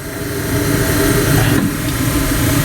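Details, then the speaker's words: 1954 Mayflower oil furnace burner after motor replacement, air damper set: even, steady low roar with no pulsing, rumble or sputter, very quiet with constant flame; normal oil burner operation. "it's generating a nice constant flame this thing is so quiet now it sounds better than we can almost not you can't even hear it over here"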